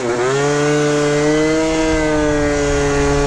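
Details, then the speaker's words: Yamaha Zuma two-stroke with new Polini Evolution 70cc cylinder, about 30 miles into break-in, full-throttle road run: high buzz climbs quickly then holds flat pitch near 56 mph below 11k rpm; tune off, revs limited by gearing, bottom end a little soggy. "The tune is off. It wants more rev. So, where do we run out of gear?"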